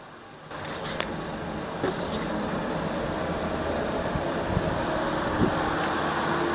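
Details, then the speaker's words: Rear left wheel spun by hand, microphone near the wheel: steady gritty rumble with no clean free-spin, unlike the quiet right side; worn wheel bearing. "Okey maksudnya problem kat sini adalah bearing sekarang kita dengar belah kanan pula."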